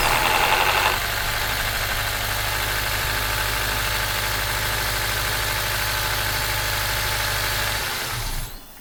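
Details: Acura TSX, formerly crank-no-start from an overextended, non-locking timing chain tensioner, after timing chain installation, catches and settles into a steady, even idle for several seconds before switch-off; a vacuum leak remains; normal idle.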